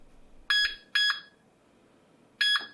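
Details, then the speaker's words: Treadmill console buzzer after adding a volume control with a small potentiometer, turned all the way down: three shrill, steady beeps, only slightly quieter than full volume; bigger potentiometers would make a much bigger difference. "you'll hear it made a bit of difference but not a huge amount if you use the bigger potentiometers that I link to below you'll notice a much bigger difference"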